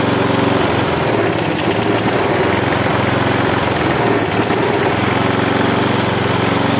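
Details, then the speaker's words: Husqvarna J55S mower with Briggs & Stratton 650 engine, tired, broken down, before new air filter: single-cylinder beat wavers and dips instead of holding steady; still vibrates. "To nie jest żadna śruba regulacyjna Oczywiście że nie to jest tutaj śruba od filtra powietrza kosiarka mimo to i tak ma wibracje"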